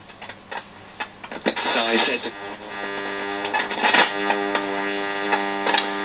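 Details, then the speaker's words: Stella ST415T transistor radio from about 1962, on battery, on what is thought to be long wave after the transistor shields were pulled free: a steady buzzing hum under crackly, noisy reception with faint programme behind it; owner suspects shorts between the shield wire and the can and plans to remove the transistors. "still quite noisy so i think those transistors are going to come out"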